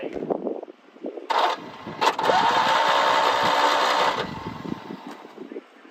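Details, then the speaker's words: Citroën 2CV left unused for 7 years, cranked with fuel line disconnected: starter turns engine evenly about four beats a second for three seconds, no scraping or binding; engine turns freely and has strong spark. "we're going to go for a just a turnover we've taken the fuel liner off ready"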